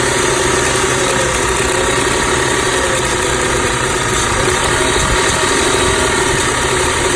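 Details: 2006 Audi A6 idling rough, noticed two days ago along with power loss at low speeds; owner asks whether the PCV valve is to blame. Steady but uneven, slightly shaky idle with clatter on top, no clear misfire pattern. Cause unknown.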